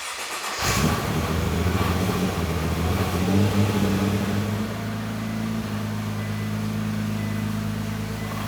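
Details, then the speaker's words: Crash-repaired Nissan GT-R on an off-the-shelf tune with very large injectors, fuel pressure regulator vent off; starts and idles with light metallic clatter, owner attributes it to injectors not liking the tune, awaiting custom base map. "What is that noise, Greg? >> Those are the Those are the injectors not liking the tune we are running."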